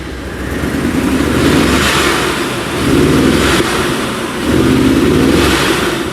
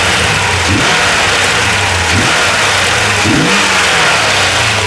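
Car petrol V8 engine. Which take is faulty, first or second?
first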